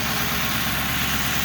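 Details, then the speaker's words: 2005 Ford Crown Victoria 4.6L idling after the failed, noisy AC compressor was bypassed with a shorter belt: steady, even, smooth low rumble with no squeal or grinding; engine sounds healthy. "that's pretty good after that i get rid of that noise because it was making a lot of noise it was annoying now it's okay i guess ready to go"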